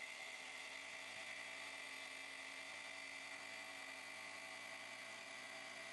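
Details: UIBI 3500A jump starter's built-in 160PSI tire inflator running normally, filling a low 275/70 R16 tire toward 32 PSI: steady high-pitched buzzing drone at constant pitch, no stumbles or rattles; somewhat noisy, takes a couple minutes.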